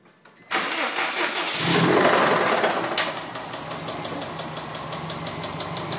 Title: 04 WRX rod knock